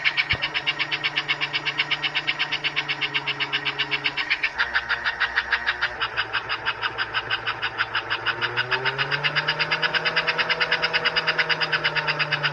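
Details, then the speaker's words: Pre-1957 all-metal American Flyer S scale locomotive, about 70 years old, drive wheels lifted off the rail: quick even chuffing over light motor whine rising smoothly as it speeds up; running properly. "oh there we go the headlights working 70 years old and it still runs and chops"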